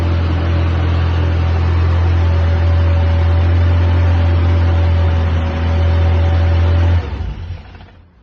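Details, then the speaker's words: Mini Cooper 997cc, first inspection after auction, needs a good deal of choke, aftermarket small filters fitted, started with fuel pump priming and choke: smooth deep even hum, no knocks or misses; runs sweetly. "Try again. Yeah, pretty sweet. That's really good."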